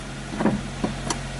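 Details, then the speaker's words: 1992 Nissan NX, 1.6 L fuel-injected, manual, after fixing a no-crank fault; starts and settles into an even low hum with a few handling knocks. Normal running. "yeah there's like one point six liters of fuel injected fury right here boys"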